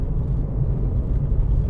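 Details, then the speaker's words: 2006 VW Golf Mk5 2.0 TDI BKD diesel after MAF sensor cleaning, warm at 90°C operating temperature: low, even drone on a lifted throttle at low revs, no stumble or surging where it once ran rough; smooth running. "Okay, the engine's nice and warm now up to its operating temperature. 90° C. Smooth as silk."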